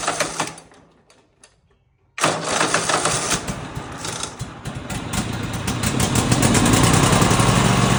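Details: Husqvarna RZ 5424 zero-turn mower with a Kohler engine, previously quit running, after tune-up with plugs in, choke up and idle set higher: after a quiet pause it fires and settles into a smooth, even idle that climbs slightly; running healthy.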